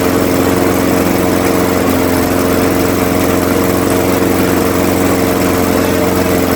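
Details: Craftsman 21-inch mower, 5.5 hp Honda GCV160, run to warm the oil before an oil change, after a smoky first start, until it runs out of fuel: steady, even single-cylinder putter, no stumbles or surging; healthy.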